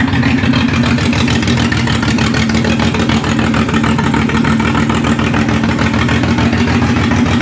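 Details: Ford Barra engine in a speedway car, running a 350 Holley carburettor on the factory intake with a distributor: loud, lumpy, uneven idle at about three pulses a second. It sounds down a cylinder or two; spark plug wires are suspected, not confirmed.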